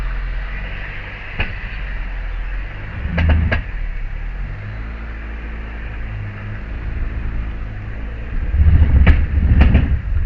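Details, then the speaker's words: Honda Fit reversing: low rumble with sharp scraping clunks as the right side seems to lock up like brakes on, rolls poorly, fine once moving forward; rotors checked tight; grinding, cause unknown. "it's like the right side is locking up or something and it's like the brakes are on or something cuz she doesn't want to roll real good"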